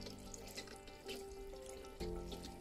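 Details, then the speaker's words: Underfloor heating manifold loop being filled and purged: rushing water with gurgling, crackling air bubbles circulating through the pipes. "Donc là on a plein de bulles d'air qui circulent"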